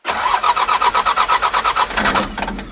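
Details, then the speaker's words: 1984 Mitsubishi 5-speed turbo diesel 4x4, cold start with no glow plugs; quick even compression pulses for about two seconds, never catches and winds down; cold no-start without glow plugs. "nope still cold so let me show you how it works glow plug is right here"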